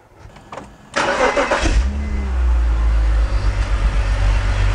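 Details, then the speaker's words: E46 BMW 3-Series, coil-on-plug ignition, after swapping coils between cylinders one and four: cranks, catches, then a lumpy, uneven idle with a faint stumbling beat; misfire still present but milder. "I still hear a misfire. Sort of. Not as bad as it was."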